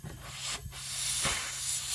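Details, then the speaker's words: Dodge Caliber 2.0L with low idle, low power and P0300 multiple misfire, on a leak-down test: steady airy hiss escaping the intake tube, meaning the intake valve isn't sealing from carbon buildup on the seat, not bent; cylinder one worst. "There's air coming out of the intake tube. So, that means that the valve is not bent. It's just not sealing right."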